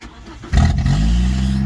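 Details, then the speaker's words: 1989 Nissan Sentra B12 with a refurbished battery, starting after the loose battery cables were pushed down: catches into a loud deep rumbling idle; exhaust smells strongly of burning oil. "Oh, right, it started up. I pushed the battery cables down and it started. It smells freaking horrible. It starts. It's loud, but it starts."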